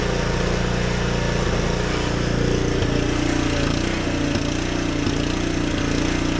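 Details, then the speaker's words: Husqvarna ST 124 snowblower, 212 cc single-cylinder engine, also surging: runs steadily with occasional sharp pops; owner suspects a factory-lean fuel setting and Torch spark plugs, unconfirmed. "You can still hear the popping noise. When I first purchased this Husqavarna snowblower at factory, they make these really lean when burning fuel."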